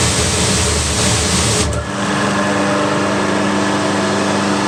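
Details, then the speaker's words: Diesel-fired hot pressure washer after replacing a thermostat whose capillary tube had snapped, with new flex: steady pump and motor drone, then the burner lights with a soft whoosh and settles into an even roar as the thermostat is turned up; slightly smoky, normal running. "Right, let's turn the thermostat to something you might hear the fans kicking. And you'll hopefully see the diesel light."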